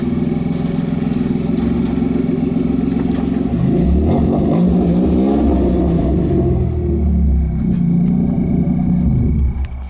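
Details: 1993 Dodge Stealth taking off from a standstill: deep engine drone rises and sags without steady pull, struggling to accelerate; transmission slipping and sticking in gear, spare transmission being rebuilt for a swap.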